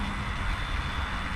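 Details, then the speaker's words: 1996 Oldsmobile Cutlass revived after long sitting: the in-tank electric fuel pump, run externally with leads reversed after priming a dry pump, gives a constant high whir over a low hum with no surging; it pumps strongly, running normally. "we had to prime it and then we've got it primed boy that thing does some pumping now it'll pump this tank dry"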